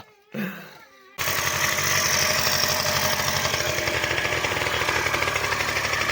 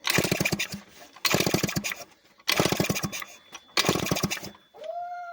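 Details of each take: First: Two-stroke scooter after long storage, now started after the carburettor was cleaned and the plug changed: steady buzz at fast idle, note wavering briefly as the carburettor intake is covered by hand, then running evenly. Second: Two-stroke scooter that sat unused for a long time, cranked with the kick-start after the carburettor was cleaned and a second spark plug fitted: four rough chuffing pops about a second apart, each dying out, then a brief rising note. Oil that seeped into the crankcase during storage is suspected.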